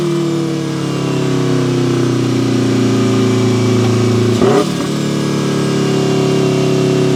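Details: Turbo Mazda Miata, built 1.6L with a new head gasket, new clutch and flywheel, and a custom unequal-length turbo manifold giving a Subaru-like sound, about 14–15 psi boost, on a drive. A deep, steady rumble pulls smoothly under load with a brief shift and no misses or knocks: normal running.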